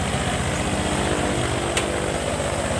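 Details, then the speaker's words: Honda Vario 150 FI LED scooter after routine service and oil-change indicator reset, started up: steady, even single-cylinder idle with smooth regular pulse, no knocks or rattles; normal idle. "Oke, langsung saja kita starter. Oke, hidup"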